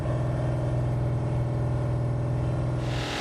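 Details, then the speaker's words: Freshly installed Pontiac 455 on a '67 GTO during cam break-in at fast idle, oil pressure having started at about 70 as it heats: a steady rumble with quick, even tapping about three times a second from the bottom end, suspected crankshaft striking the windage tray; exhaust leaks also present. "So what we're hearing, something really fast is hitting something. And the only thing I can think of is how close that windage tray was."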